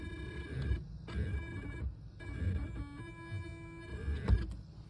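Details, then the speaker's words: 2022 Chevy Bolt EUV: whirring, motor-like buzz rising and falling in pitch with how far the brake pedal is pressed, mic held close; cause unknown. "so depending basically how much i depress the the brake pedal i has a different um modulated sounds"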